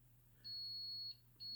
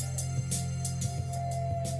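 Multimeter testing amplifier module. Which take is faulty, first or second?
first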